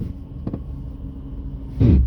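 Steady low road rumble, then one heavy dull thump near the end: a clunk from underneath while driving, cause unclear.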